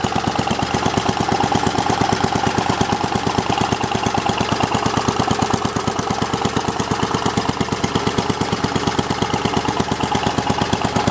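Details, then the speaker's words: Simplicity 7010 lawn tractor, single-cylinder engine running after head removal: steady thumps about two per second, barely changing between idle and full throttle; needs tweaking. "So, yeah, I definitely need to adjust something because there's idle, there's full throttle. It does make a difference, but very little."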